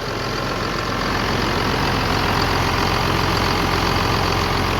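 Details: Tractor diesel engine running after injection pump repair and oil leak fix, good oil pressure, no leaks seen; steady even diesel clatter at idle with no misses or knocks; normal diesel idle.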